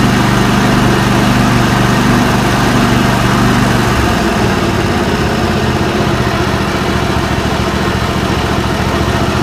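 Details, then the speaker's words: Kawasaki V-twin (FD590V family) on John Deere mower after replacing weak-spark ignition coil, plug caps and spark plugs: catches immediately and settles into smooth, even idle with no misfire; healthy start after repair, far better than before. "Now that is quite a difference. That's a lot bigger difference than I was anticipating."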